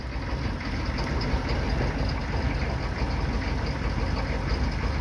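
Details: 1995 Chevy 3500 one-ton with 6.5L diesel, cold start after hard starting: deep, uneven, lumpy clatter with the truck shaking and heavy smoke. Rough cold idle, cause not pinned down.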